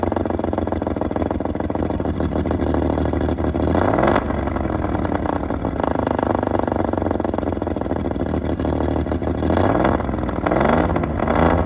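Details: Restored 1935 Stancraft, oldest known example, inboard engine run on land with water fed by a motor flush: smooth, deep rumble climbing cleanly on two quick throttle blips and settling back; normal, strong, even running.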